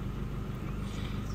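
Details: 2002 Mazda that had a cylinder 2 misfire (P0302) and shook the whole engine, after the code was cleared: steady even low idle with no shake or skipped beats; now running perfectly.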